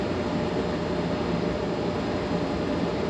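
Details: In-wall AC that would not run, now running after the worn-out capacitor was replaced, about 2 minutes in. A steady, even low rumble with airflow hiss, no rattles or cycling; normal running.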